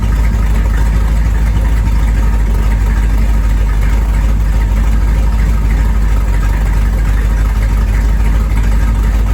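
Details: 1973 Corvette V8, first drive in 5 years: deep even rumble, steady lumpy beat, no knocks or rattles; normal running.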